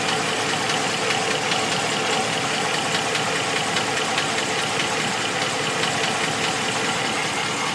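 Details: 2014 Ram 1500 at idle: faint, uneven ticking knock over a bright top end, suspected valve train knock, unconfirmed.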